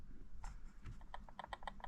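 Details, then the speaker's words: Transmission ring gear rocked by hand with no load: quick run of light plastic clacks, checked around a full turn; small even backlash shows proper mesh after adjustment. "donc voilà je mets la machine sans effort sur la transmission et je prends la couronne et je pense que vous entendez le petit bruit"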